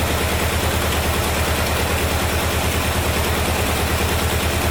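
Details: 1973 Chevrolet Corvette C3 revival, run after a shot of gas down the carburetor, wheels not turning: steady, even idle with low regular pulse, no knocks or misses; a little smoky; normal idle.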